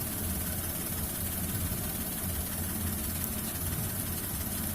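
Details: Suzuki Alto K10, clip around clutch adjustment for an engine sound problem: steady, even low hum at constant pitch with no knocks or rattles; smooth settled normal idle.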